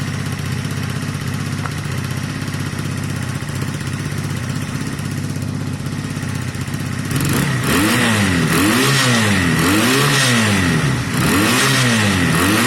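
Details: Honda CB250 Nighthawk café racer twin after engine rebuild with new piston, cylinder and valve stem oil seals; idles evenly, then clean repeated revs rise and fall smoothly with no misses or rattles, no longer smoking: healthy revving.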